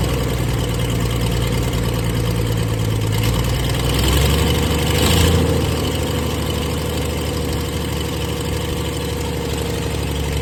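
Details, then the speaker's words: 1996 Dodge 2500 diesel, cold, no exhaust fitted, after stock HX35 turbo replacement and transmission swap, still burning off oil: low, uneven idle with a loose tick about three per second over the clatter, engine shaking; owner says it always ticked cold; rough cold idle. "you can see it's uh definitely shaking a little bit and uh this thing is always when it was cold it had a tick to it"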